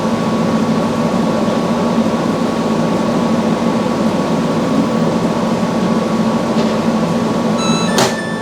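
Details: Samsung front-load washer after replacing all four shock absorbers with OEM shocks, running a calibration spin with an empty drum. A steady whirring hum with a constant tone and no knocking or banging; normal calibration spin.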